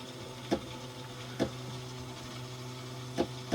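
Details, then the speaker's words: Yamaha jet ski with spark plugs out, long neglected, milky fluid from cylinder 3: four sharp clicks in under four seconds, no cranking; seized engine first suspected, later found a bad starter. "Nothing. You hear the starter wanting to click a little bit every third or fourth push."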